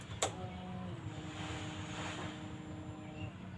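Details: Yamaha Mio Soul GT fuel-injected scooter: a click, then a steady electric hum for about three seconds as the fuel pump primes normally at key-on; its no-start was caused by a weak battery.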